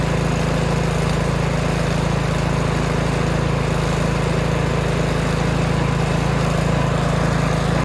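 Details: Toro snow blower small single-cylinder engine pull-started with choke on and carburetor primed three or four times: runs steady and even at constant speed with no misses or surging, then shuts off; healthy running.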